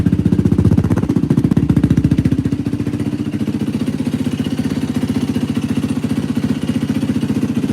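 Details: 2004 Yamaha WR450F after carburetor rebuild, pilot screw 2 turns out, float may need adjustment; crisp even single-cylinder thumping idle, steady beat, no misses, surging or popping: runs cleanly.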